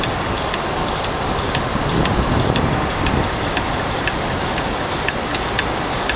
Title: MED#11 ASP-02 Abnormal Sound